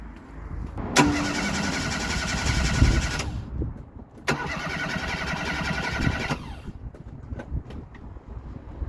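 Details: Ford Fiesta Mk3 with rebuilt carburetor, old coil still fitted: two bursts of steady starter cranking at a few turns per second with no firing at all, crank no start; the coil is to be changed next.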